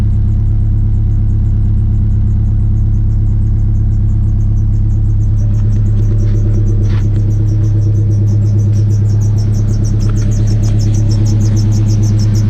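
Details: Honda EG hatch with a freshly completed H2B turbo swap, awaiting a tune: loud, deep, steady rumble holding an even idle with no knocks or misses; normal idle.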